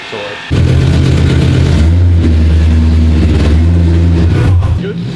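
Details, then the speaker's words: BMW E30 M3 track car with S65 V8 and DCT, first start after nearly three years, no silencer fitted: loud raw V8 bark idling evenly and picking up cleanly on each blip, no knocks or misses; healthy engine, open exhaust. "yeah we just cuz we've got no silencer on it sounds awful it will be fixed"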